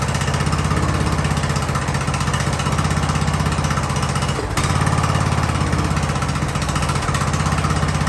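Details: Free Ariens riding lawnmower, sat at least two years, revived indoors: single-cylinder keeps a steady, even low thump about four beats a second without dying; runs normally.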